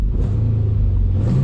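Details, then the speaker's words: Car after swapping in the throttle body that originally came off this car, which had left it with no throttle: low even rumble at a steady pitch with a slight lift near the end, no stumble; full RPM restored, throttle body was the fault. "Yep, I have full RPM. Wow. At least I know that that was the issue."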